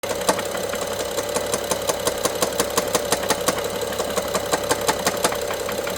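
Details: BMW F07 N55 at idle: sharp, slightly irregular metallic ticks about three a second from top of engine, loudest by cylinder 1 injector and middle connector; worse with throttle, sometimes stops briefly; timing chain inspected OK.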